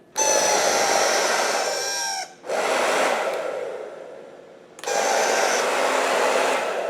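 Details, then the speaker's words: Hair dryer before repair: loud airy whoosh with a high whistle that cuts out and restarts, pitch sagging; sounds abnormal, speed setting has no effect, barely heats and smells. "Suaranya berbeda Saya tidak mengerti persisnya. Tidak ada kecepatannya."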